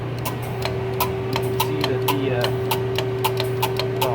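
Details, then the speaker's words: 1997 Chevy truck with fast-cycling A/C: the compressor clutch coil is energized with a power probe at the clutch relay socket, giving sharp clicks about twice a second over a steady hum. The clutch pulls in cleanly, which is normal. "you can hear the clutch coil is operating, and these two sides here are the control."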